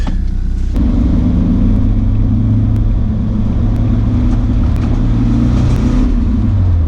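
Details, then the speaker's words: Nissan 240SX S14 with a KA engine and a stalling problem, warmed up, after cleaning the idle air control valve, a boost leak test and a knock sensor replacement. The engine rumbles, then revs dip low after throttle lift-off and nearly stall before recovering. "it dipped down but it doesn't fall off like a doll"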